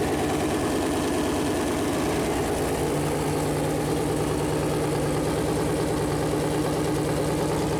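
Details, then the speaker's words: Freshly built Chevy Performance 454 big-block V8 idling on a run-in stand at first fire-up: steady, even low rumble with no knocks or misses. Normal idle; afterward oil leaked where the plastic oil-gauge line hit the headers. "all right so that was first fire up and uh everything was going pretty good"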